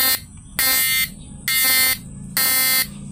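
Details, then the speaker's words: 4-FET PDC stun (setrum) unit under load test, with a buzzer on the air-core inductor coil. A loud shrill buzz switches on and off about every 0.9 s in flip-flop mode, pulsing slowed because the modified module's 1N4148 diode was removed. "Jadi kedipannya melambat ya, karena di modul flip-flopnya ini sudah dimodif ya guys ya."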